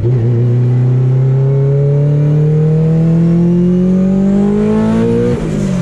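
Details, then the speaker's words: Drag car on test drive around the block after upgrades: engine note climbs smoothly through the revs then drops at the shift, no drone, shudder or vibration, driveshaft smooth, driven gently; normal drivetrain under acceleration. "yeah it sounds good feels good no vibration feel test drive went good everything felt fine uh drive shaft felt smooth there's no crazy vibrations"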